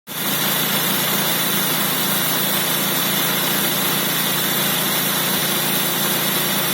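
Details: Nissan Sentra B14 idling with a dense, gritty metallic rattle and hiss from a failing Calsonic A/C compressor.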